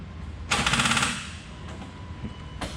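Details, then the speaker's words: BMW E36, turbocharged, no-start with no RPM signal after new sensor, cranked on a jump box: about half a second of rapid machine-gun starter clicking, engine never cranks; owner wonders if the battery is too dead. "i'm using a jump box so battery's dead i wonder if that battery is too dead"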